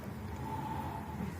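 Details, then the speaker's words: Honda Vario Techno scooter brought in for a slight whine and rough CVT noise. The rear wheel is spun by hand as a manual check: a smooth low rumble with a faint steady tone, no whine or grinding. The final drive gears and bearings are healthy. "Nah, kalian bisa cek sendiri, di sini nggak ada suara yang mengakibatkan gejala ngiung ataupun"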